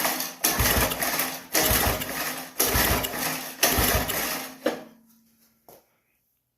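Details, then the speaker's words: 1976 Wizard tiller, Briggs and Stratton 5 hp, compression test while pulling over: four strokes about a second apart, each a firm, even chuff; 60 PSI, normal compression, spark also present. "60 PSI all day that's what I like to see got the pressure off so that tells us that we got compression"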